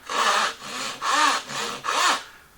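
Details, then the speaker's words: Hand saw starting a cut where the grain runs in unsupported on that side: five rough, grabbing rasping strokes about every half second. The saw is fighting the grain and chattering, with blowout on the side. "the grain's coming in this way, it's totally unsupported on this side, and I want you to just listen. It's fighting me."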